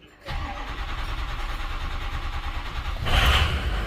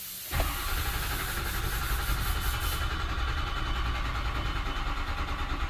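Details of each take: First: 2005 Ford F-350 6.0 Powerstroke diesel after IPR valve replacement, with batteries nearly dead: brief cranking, then it catches with a deep rumble, flares up and settles to a steady diesel idle. Normal start. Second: 2005 Ford F-350 6.0 Powerstroke crank-no-start with a failing IPR valve, battery charger connected: the starter churns steadily with a heavy low drone and never fires, long cranking to purge air from the drained high-pressure oil system, setting an ICP code.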